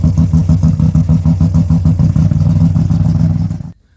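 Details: Rebuilt Ecotec race car engine after a melted piston, first run: lumpy but regular idle pulsing about three times a second before shutdown, no knocking or clatter; oil pressure above 60 psi idle, did not get hot; healthy.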